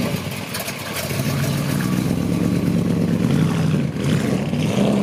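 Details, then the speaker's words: 1958 Chevy Delray with a 283 V8 and Turbo 350 automatic: catches quickly and settles into an even, steady V8 burble with no knocks, misses or stumbles; healthy idle. "You get to hear it run, it sounds great."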